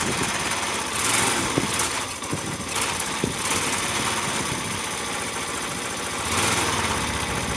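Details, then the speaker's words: Yamaha SR125, first start in three years, in neutral, with cleaning spray down the carb boot, fuel hose and float bowl: ragged, uneven single-cylinder running that won't rev, then runs out. It runs briefly but is starved of fuel. "I have no idea how quickly this stuff off gas is but it sounds to me like it's running won't rev but then what do you expect"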